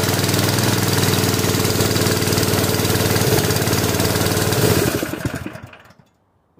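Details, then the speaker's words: Honda GX160 on a portable air compressor, converted to propane with a cheap regulator: uneven hunting beat, then sags and dies after about five seconds, same as on gasoline; owner suspects the cam compression release or a worn intake valve and weak valve springs. "I'm beginning to think that the compression release on the cam is messed up or something something is wrong with this"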